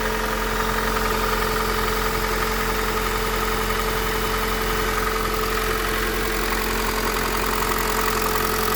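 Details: Honda Accord 8 engine at steady idle with a faint, uneven tapping about one or two per second. It knocks when cold, lessens warm, and is still heard at 2000–3000 rpm. Valves adjusted 15,000 km ago, 5W-30 oil. Source unclear.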